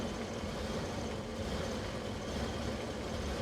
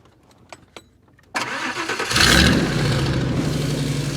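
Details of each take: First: 1998 Ford Econoline 350 5.4L: runs like crap, uneven lumpy idle with a loose irregular beat and low rumble; running extremely rich. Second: 1998 Ford Econoline 350 5.4L after the EGR was blocked off: starter catches quickly, engine fires and settles into a steady smooth idle with one brief blip; should be the last problem.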